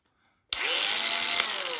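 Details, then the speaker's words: Makita 8400D 9.6 V cordless hammer drill, original NiCd battery, after cleaning corroded push-switch contacts: spins up sharply to a steady high whir, even motor note, no knocking or grinding; running normally in drill mode. "Drill. Well, I didn't expect to actually do that in the end. I was having so much trouble there."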